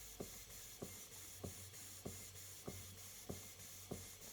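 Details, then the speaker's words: Model 19th-century Mary beam engine being run in slowly on low air pressure after years unused: soft even puffs about 97 a minute over faint hiss; running smoothly, timing judged fine. "The timing, it wouldn't run like that on quite low pressure if there was anything wrong with the timing."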